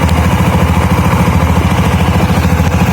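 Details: 2013 Honda Beat scooter with rough starter, brought in for stalling while riding: smooth, even putter at idle with no slipping, rattling or grinding from the belt drive; normal idle.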